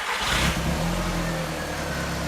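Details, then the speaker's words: Audi S3 barn find parked nine years, after refitting the boost pipe, on little fuel with the engine light on: it catches at once and settles into a smooth, even run with no misfire; far better than its earlier struggling, tapping run. "That starts and runs 10 times better. Really struggling earlier."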